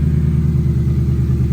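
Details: 1971 Ford F100 XLT Ranger with 2017 F150 6R80 transmission, first fire-up after torque converter repair, about 35°F: low, steady idle rumble with even beat and no ticking or tapping; idles clean and smooth.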